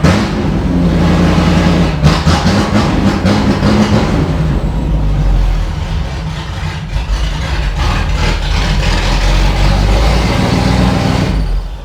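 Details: Range Rover Classic V8, restarted after 7 years unused, pipes being checked; uneven, stumbling idle with irregular lumps and pulses; still running rough, cause unknown.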